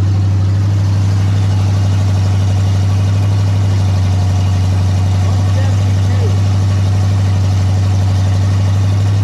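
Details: Ford big-block 460 V8 in a 1956 F-100, first fire-up on open headers with no mufflers, fed from a gas jug, during cam break-in: deep, steady idle with an even beat and no knocks or misses; normal idle.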